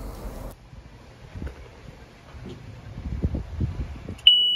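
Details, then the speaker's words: PRAMAC GSW10 diesel generator that won't crank: faint rustling with no starter cranking, then a steady high-pitched controller shutdown alarm for a start fail, caused by a bad cranking relay. "and there it is a shutdown start fail alarm"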